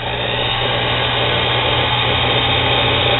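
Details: Lathe after replacing the drive belt with a Gates belt; the motor showed burned brushes: a steady, even motor hum with a light belt whir, with no knocking or slapping.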